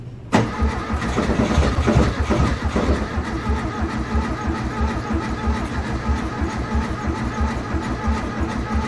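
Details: 1971 VW Beetle with new tank, fuel and ignition, primed with gas: starter churns steadily about three beats a second but never catches; fuel not getting through, broken carburetor at fault.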